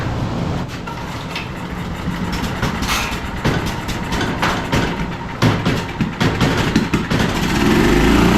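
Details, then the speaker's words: Generator picked up non-running after sitting outside in snow, fitted with a replacement carburetor; on choke, stubborn recoil pulls give uneven chugs, then it catches and runs rough before stalling as the low-oil indicator flashes, so the low-oil shutdown is probably killing it. "Okay, looks like we're getting a flashing light for the low oil indicator. So that's probably what's shutting it off."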